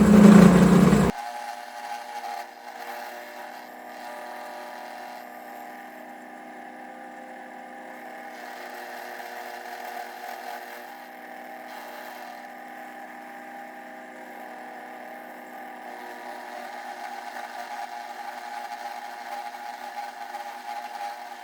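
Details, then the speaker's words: Homemade milling machine on its first test cuts: the cutter chatters with a rough buzz over a steady motor tone because of too much play in the entire setup. "It surely cuts much better, but there's still too much play in the entire setup. You can hear it chatter a lot, but all the problems can be fixed."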